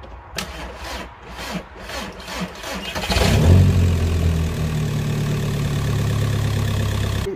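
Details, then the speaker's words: Seat Ibiza 1.9 TDI after what looked like its original glow plugs were replaced with cheap new ones: a few seconds of cranking at about four turns a second, then it catches quickly into a steady diesel idle. It seems to be starting a little better than before. "seems to be starting a little bit better, so I'm happy with that."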